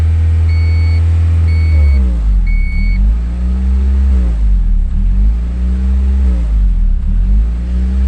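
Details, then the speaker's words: 1992 Honda Accord after timing belt and water pump work: idle surges and sags about every two seconds once a part is unplugged. Hunting idle; the idle air control valve is suspected and was then cleaned with carb cleaner. "[Music] yeah that's strange all right so doing that happens when I just unplugged it [Music] starts doing funny so maybe it is that stupid thing"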